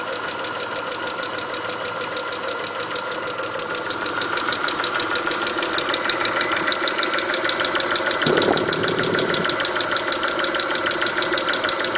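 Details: Chrysler Stratus/Cirrus 2.5L after timing belt (Gates kit), spark plugs and intake manifold gasket replacement, right camshaft slipped 1/4 turn during belt install, P/S belt not fitted: rough busy idle with loose ticking clatter about three per second; cause unclear.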